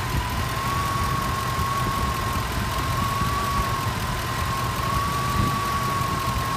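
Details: Petrol engine at idle: steady, slightly wavering high whistle, first blamed on the water pump or idler pulley, with a wobbling pulley also noticed. Belt-off testing and isolation show it is 100% worn alternator bearings.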